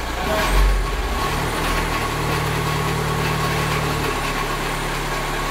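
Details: VW Transporter van idling: steady low rumble with faint whirring rattle from the left side on throttle, gone with the clutch pedal pressed and back on release; dual-mass flywheel noise.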